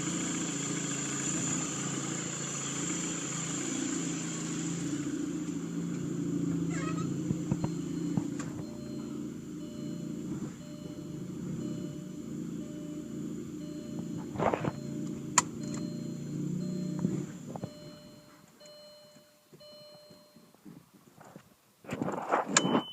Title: Audi a4 rough idle.